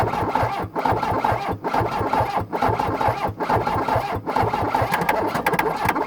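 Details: 1981 VW Rabbit diesel truck, first start in a year on a ten-year-old battery, glow plugs used, in neutral: steady starter cranking, engine never catches because the fuel shut-off solenoid is not powered.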